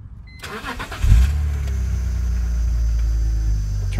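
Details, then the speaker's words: BMW E46 3 Series after fuel pump replacement, pump primed with key on: engine cranks briefly, catches cleanly and settles into a smooth, steady idle with no knocks or misses; normal start. "the car on just to idle for a little bit and everything was okay"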